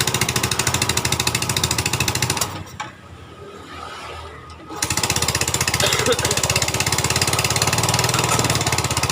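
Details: 2010 Yamaha Vega ZR single, after repair of a rough knocking noise around piston and cylinder head: ticks over evenly at a steady beat with a brief quieter patch, no knock or rattle; healthy idle.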